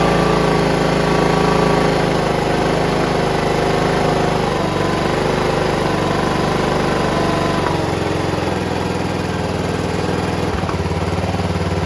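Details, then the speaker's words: John Deere RX75 rear-engine riding mower after an ignition switch modification, reassembly and a new fuel line: even, steady single-cylinder beat settling to a lower, slower idle without stumbling; runs cleanly at its lowest idle. "wow that sounds great that's the lowest Idol right there that sounds great"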